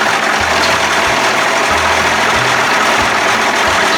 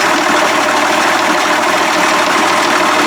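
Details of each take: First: 1992 Johnson 60 hp outboard, warmed up, carbs at one and a half turns, settles into a steady, even, buzzy idle with no stumbles and is put in gear; smoking eases once warm. Sounds good, though it needs priming to start. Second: 1992 Johnson 60 hp outboard idling in a test tank, steady buzzy and even; carbs set back to one and a half turns, still seems a little too smoky and rich. Owner suspects heavy priming from the key switch.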